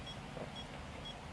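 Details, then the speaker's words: Metal detector (2021 model) during calibration with the value too high, e.g. 255: faint high beeps about twice a second over a steady hiss, a warning that the calibration setting is too high. "this is a warning that it is too high"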